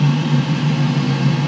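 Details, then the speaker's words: Boiler that had been ramping down after ignition, after reset: pre-purge, ignition, then steady low hum and even burner roar with no surging or cut-out; running longer than last time, seems good. "Pre-purge, that's good. Ignition. This run percentage is what I'm watching. I think we're good."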